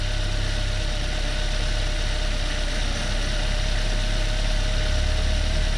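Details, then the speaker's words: Chevrolet Beat/Spark fitted with a Chinese B12D1 1.2L petrol engine, running after swapping a defective thermostat, idling while the antifreeze is bled. A steady idle with a faint hum and even low rumble. Normal idle. "vamos a a encenderlo normal y vamos a pulgar el anticongelante"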